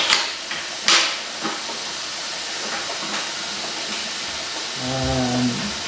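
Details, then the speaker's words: Jegs 40 A plasma cutter switched off with compressed air connected: a steady hiss with a brief low drone near the end, as air leaks internally rather than at the external fitting; the owner suspects air is used as a cooling medium. "as soon as I hook up compressed air to it [Music] makes that noise and it's not leaking out of the fitting external it's leing internally"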